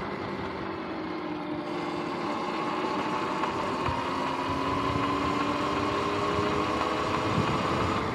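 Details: Sur-Ron X electric bike: whine rising with speed over light, fairly regular clicking about four per second; chain had locked-up spots and 14T front sprocket hooked like shark fins, chain and sprockets worn out.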